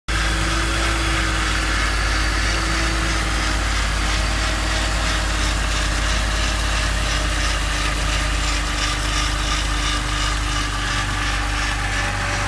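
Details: BMW E46 330i at idle: steady faint even hum with a light tick, from low at the front near the oil pan; A/C compressor, belts and pulleys, water pump and VANOS ruled out; cause unclear.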